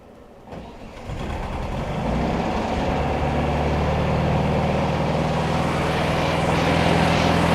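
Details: 1971 VW bus after 2+ years sitting, new carburetor, plugs, wires and tune-up, warm, choke off: brief crank, catches within a second and settles into a steady, even idle with no knocks or misses.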